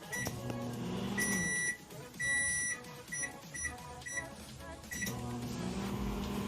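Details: LG MH7570 grill microwave, brought in for loud noise, running and heating: steady low hum through the heating cycle with short beeps and background music; heats normally.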